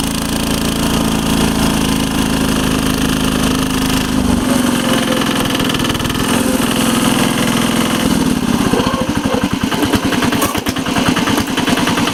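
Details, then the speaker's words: 1983 Case 446 repowered with a Lombardini 6LD 435 single-cylinder diesel, up a steep grade, engine a little cold, probably governed to about 3,100 rpm (factory 3,600): deep, even thump holding steady uphill, no knocks or misses; normal running under load. "But it's got a whole lot of low end torque. Air due at 2,000 RPMs, air due what the Onan would do at 3,200."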